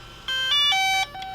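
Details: DJI Phantom 4 drone powering up after its camera plate was replaced: a bright, familiar chime of electronic notes stepping down in pitch as the gimbal aligns itself; a normal start-up.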